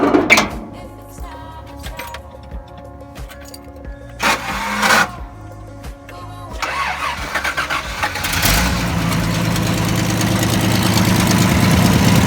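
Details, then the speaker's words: 1987 Toyota Land Cruiser FJ60 inline-six, seller claimed bad rod: brief crank under music, then catches and runs smooth and even with no knocking; normal healthy idle. "Wow, she sounds good. Oh my gosh. That sounds phenomenal."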